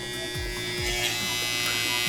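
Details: Wahl 5 Star vibrating clipper after the tension was adjusted slightly to remove a remaining rattle. Steady high-pitched buzz, even and smooth, with no rattle or chatter. Normal running, blade tension set right.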